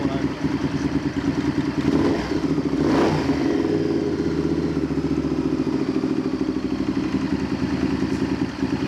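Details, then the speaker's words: Honda VTR Firestorm V-twin after carburettor/vacuum adjustment (screw wound most of the way in) idles with a lumpy, uneven beat and a quick rev blip, never settling; running better but still not right. "so the firestorm is running better but it's not quite right so we're going to leave it there for now"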